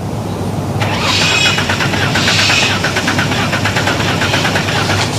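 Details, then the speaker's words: Six-cylinder Torana cranking for a compression check: the starter beat is uneven at about three pulses a second, with one cylinder weak each turn. Number six had low compression; teardown found broken top rings on all cylinders. "The bad one, that's the one I pulled down on the six-cylinder Torana. It had compression down on number six."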